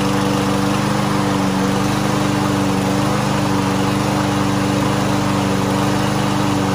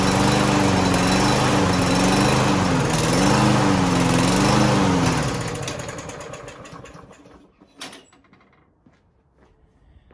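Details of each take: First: Lawn Boy lawn mower unused for almost a year, after carburetor cleaner spray, started without starting fluid: even, steady single-cylinder buzz with constant pitch, no hunting or misses; running well. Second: Lawn-Boy push mower that wouldn't start: after starting fluid is sprayed in, it catches with a steady buzz, then fades and dies after about five seconds; starts then stalls.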